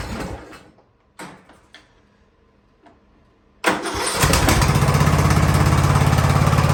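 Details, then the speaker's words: Free Ariens riding mower, sat at least two years, first-start attempt: engine dies on releasing clutch/parking brake, a few clunks, then catches and idles evenly. The safety interlock cuts it because the transmission isn't truly in neutral, though the belt should be disconnected. "yeah that's that's me letting up off of the off of the clutch and the parking that's that's what's killing it which i don't really see why because the the belt is disconnected at least it's supposed to be"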